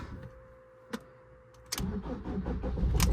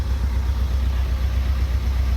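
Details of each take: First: Fiat 500 Pop diesel, former non-runner with replacement engine, started after sitting a while: quiet clicks, brief crank catches straight away into even diesel clatter, no smoke plumes; normal cold start, though owner reports sluggish power when driving. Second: Fiat 500 Pop diesel with replacement engine, idling for about 50 minutes after an oil and filter change: deep, steady rumble at a slightly raised idle while on its third DPF regeneration, earlier regens giving plumes of white smoke, now barely any.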